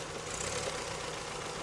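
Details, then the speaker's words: Toyota 3S-FE petrol engine at warm idle: busy metallic clatter with strong, intermittent dull knocking that appears only after warm-up, sometimes quieting to faint tapping; engine otherwise runs normally; cause unknown. "Бывает не стучит, бывает просто тарахтит, прям аж долбит как хрен знает что. Просто удары такие характерные. Сильные удары."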